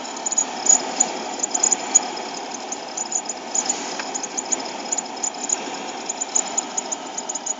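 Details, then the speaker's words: Cold VW Polo Sedan at -16°C after sitting overnight, recirculation on: thin, irregular squeaking chirps over steady fan rush at third blower speed, gone at second speed; heater blower squeak. "Третья скорость. Противный пищащий звук."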